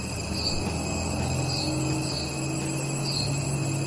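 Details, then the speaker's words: Cricket-like chirps roughly once a second over a steady electrical hum and high whine while a drone (Phantom 4) battery charges; the noise comes from the charger itself, not the battery. "então se você coloca a bateria para carregar e 6 acontece isso a escuta só a bahia está carregando e o barulho que faz parece ter um grilo lá dentro"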